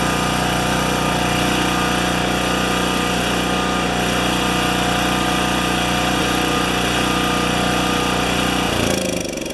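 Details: Makita G2400R generator after fitting a non-OEM replacement carburetor, unloaded; steady, even buzzing run at constant speed, no misses or surging, for about nine seconds, then shuts off; same RPM as before; normal running.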